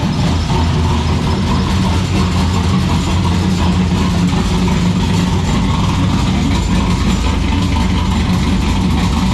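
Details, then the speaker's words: Ecotec turbo V6 drift car at idle on one of its longest runs so far: loud lumpy idle with a steady metallic rattle from a loose exhaust part at the y-pipe or rear section; the rattle stopped when the electric cutout was switched. "it sounds very rattly because there's um the exhaust somewhere is there's like a roost part somewhere so it's just rattling its head off so ignore that"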